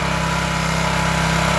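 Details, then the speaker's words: Craftsman pressure washer small single-cylinder engine after carburetor cleaning cleared a clogged emulsion tube (previously ran only on choke), started on choke then running off choke: steady even idle, constant low thrum, no surging or misfires; normal idle. "the reason it had only ran on choke is the emulsion tube was completely clogged up so let's fire it up and see if it'll run off of Choke like it's supposed to now"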